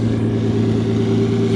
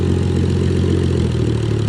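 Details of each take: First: 2JZ-swapped solid-axle 4Runner in the desert, engine hot after earlier coolant boil-over, idling a little over 1,000 RPM (target around 800–900): steady even hum with a firm low drone, no knocks or misses. Still slight hesitation on throttle and occasional injector misfires. Normal running. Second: 2JZ-swapped Toyota 4Runner, warmed up, idling a little over 1,000 rpm: steady low rumble with an occasional stumble, misfires the owner blames on the injector plugs; still hesitates on hard throttle.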